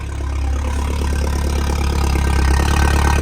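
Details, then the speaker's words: Saab 9-3 normal idle just after a fuel pump upgrade and fuel gauge repair, tank very low on fuel: steady, even, deep, loud rumble with no misses or knocks. "Oh yeah, sounds like a tractor. Since we've confirmed everything is in working order and the car actually runs like it should, I'm going to finish up reinstallation now."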